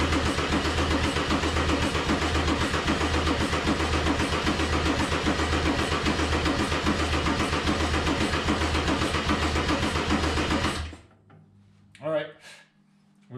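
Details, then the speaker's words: Mercedes 190E (W201) with swapped OM606 diesel, OM603 mechanical fuel pump and Holset turbo, first start attempt: starter turns it steadily about 220 beats a minute for ten seconds, never catches; smoke from EGR shows fuel injecting, battery then apparently dies. Cranks, no start; cause unconfirmed. "smoke coming out of the uh egr which means that we've got exhaust which means that we've got fuel coming in through the injectors so hopefully it will fire up before the battery dies"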